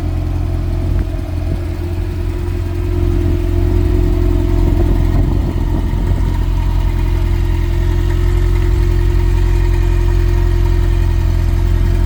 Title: GTS Turbo, walk around, noise at idle